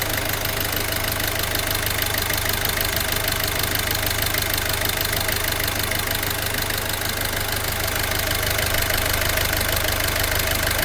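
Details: Peugeot 308 1.6 HDi 8v diesel with Continental injection, at idle before teardown; a sharp, regular ticking knock about twice a second rides over the diesel clatter, traced to a vacuum pump with a damaged rotor.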